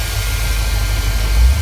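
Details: 2001 Dodge Durango 4.7L idling in cold winter weather after starting, alternator charging 14.3 V: steady low, even idle with no knocks, squeals or misses; running normally.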